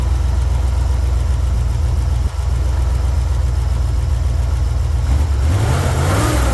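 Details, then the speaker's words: Jeep CJ7: loud, lumpy, stumbling idle, then a rev; disconnecting one cylinder's spark plug wire gives no change, so that cylinder is misfiring, plug suspected. "It seems to be coming from one of the spark plugs. Alright, so I know that the misfire is coming from this cylinder right here. So when I disconnect this spark plug wire, there's no change."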